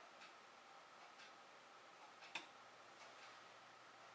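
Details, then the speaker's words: Nortron IT22W line-voltage thermostat being calibrated at about 20–22 °C: one crisp click in a quiet room as the dial is turned. The thermostat switches the heaters on at its setpoint, as expected. "you heard the click that means the heaters are on and its getting power"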